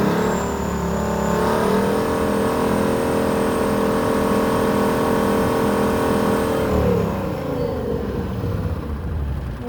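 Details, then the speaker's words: International Harvester truck with a 6-71 Detroit two-stroke diesel running steadily on a roughly 60-degree day; a thin, high supercharger blower whine rides over the gruff engine note, normal for this engine. "or not you can hear it, but you can sure hear the blower whining."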